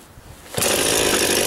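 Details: Husqvarna 51 chainsaw, first start of the year after a new casing and many parts replaced last year: short pull, then it fires and holds a steady high buzzing run without stumbling; healthy.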